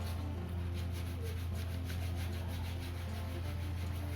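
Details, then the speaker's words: Ryobi AP Power SW8000HP fishing reel after service, rotor bearing greased and the nut retaining bolt tightened. A soft, even whirr with light regular ticking as the rotor turns, no rough sound; the bearing runs smoothly. "Yep, suaranya bagus, tidak ada suara kasar. Kasar atau tidak suara relnya itu berasal dari bagian bearingnya."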